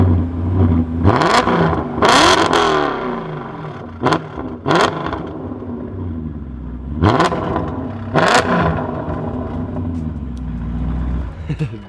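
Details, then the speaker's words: BMW E39 M5 bought from auction with light accident damage, first start: sharp rev blips over a rough burbling idle, very loud and raspy, like an exhaust with little silencing; cause not confirmed. "But let's go ahead and hear the exhaust note. What do you say? Let's do it. Let's hear her rip."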